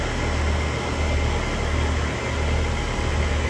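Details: Home AC condenser restarted after service, capacitor suspected of not kicking in, pressures settling: steady low hum under even fan air rush, no buzzing, clicking or labouring; normal running.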